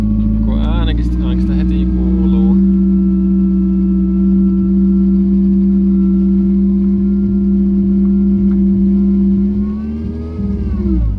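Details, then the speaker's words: Fiat Punto with AMR500 supercharger, throttle body moved in front of supercharger, supercharger oil changed to 85W-140: engine drone with whine bending with revs; idle jumps badly and something rattles, part unknown, supercharger very hot, silicone hoses collapsed. "It isn't working properly, idle is jumping badly and I can hear disturbing noise Something is rattling badly, not sure which part it is yet"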